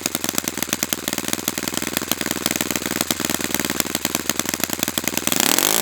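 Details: Brand-new Saito FA-100T twin, break-in run, restarted still warm without priming or choke; fast, even buzzing beat with no misses or sputter, then a clean throttle change. Normal running, called spectacular.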